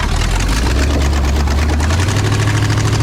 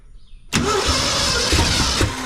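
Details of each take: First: 1968 Ford F250 with freshly rebuilt Ford 360 FE V8 (new timing chain, oil pump, water pump), first start after install: deep, steady, even idle with no knocks or ticks; sounds healthy. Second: 1968 Ford F250 with freshly rebuilt 360 FE engine (timing chain, gears, oil and water pumps gone through), first start: starter whirs, engine turns over but won't catch; fuel not yet reaching the carburetor.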